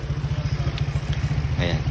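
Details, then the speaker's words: Honda Click scooter after the cam timing was corrected (cam gear was off its timing mark, causing no power), warming up after bleeding the coolant. Steady, quick, even low thumping with no knocks or ticks; engine now idles quietly. "So tahimik naman yung makina, no? Wala naman akong problema dun sa dating gumawa."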